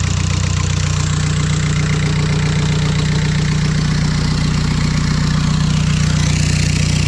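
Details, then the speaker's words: VW 1.9 TDI turbo diesel swapped into a Mk3 MR2, started up for boost troubleshooting: loud even diesel clatter over a deep rumble at idle, normal tractor-like diesel idle. "Stupid thing is, this car sounds good when going, but it's a diesel, so at idle it still sounds like a fucking tractor."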